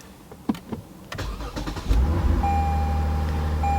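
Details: Good-battery vehicle started with jumper cables connected to a car with a dead battery: brief starter whirr, engine catches and settles into steady even low idle with no knocks; clean normal start.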